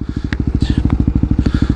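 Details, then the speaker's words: Yamaha WR250X supermoto without a slipper clutch, hurried downshift: single-cylinder thumping with sharp clattering chatter bursts from the mistimed downshift. Cause unconfirmed. "maybe I am not fast enough let me do it quickly what's that chatter noise?"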